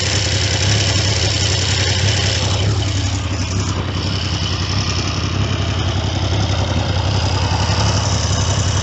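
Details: Triumph T150V triple after top-end rebuild (heads and cylinders off for oil leaks), started second kick: steady even idle with a brief rev blip, no knocks or misses; running properly.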